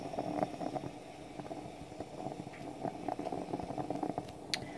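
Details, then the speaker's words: French stovetop espresso pot percolating on the stove as coffee rises into the top: soft, irregular gurgles and bubbling spurts over a quiet hiss. This is normal percolation; it ends with a loud hiss or stops, depending on the model. "It'll give a final loud hiss when it's done. Or simply stop making the percolating noise. Depends on the model you have."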